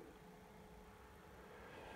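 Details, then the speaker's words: PlayStation 3 fat model on under 5 minutes, RSX at 50°C and CPU at 84°C; constant jet-like fan roar far too loud for light load, overheating, cleaning planned; cause suspected, not confirmed. "It absolutely sounds like a jet engine. I mean, I turned this PlayStation fat model on for under 5 minutes ago, and the RSX is at 50 degrees."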